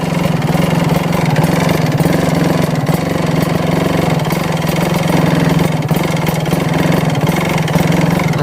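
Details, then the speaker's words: Kawasaki Ninja RR two-stroke with a badly worn HSAS membrane: lumpy, hunting idle that threatens to die. "nah yang pertama itu ya E enggak mau langsam kalau yang HS hsnya udah parah E membrannya membrannya itu dia gak mau langsam kayak gini nih susah langsamnya"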